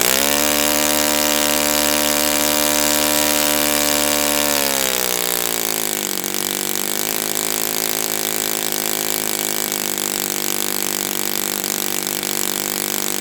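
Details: Brand-new Saito FA-100T twin model engine on test stand during break-in run: smooth, even buzz settles lower in pitch after about five seconds, then holds steady with no misses or surging; running perfectly, normal.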